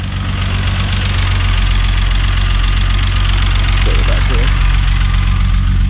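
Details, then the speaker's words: VW MK3 VR6 turbo wagon at first start after build, idling and warming up; steady idle with fast light ticking of about four per second over the hum, loud hydraulic lifters, checked as working, owner hopes they quiet down. "i will say it is a little bit loud the lifters um but i had checked them they all work no problem so i'm hoping if it runs a little while they will quiet back down"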